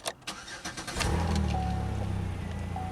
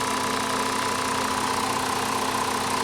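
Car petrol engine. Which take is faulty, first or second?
first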